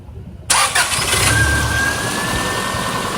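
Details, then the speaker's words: 2002 Subaru Outback during a vacuum test: the ignition coil is reconnected, the engine cranks, catches quickly and settles into an even, steady idle with no misses or knocks, and idle vacuum reads a good 21; normal start and idle. "now i'm going to connect this back in and we're gonna crank it in idle"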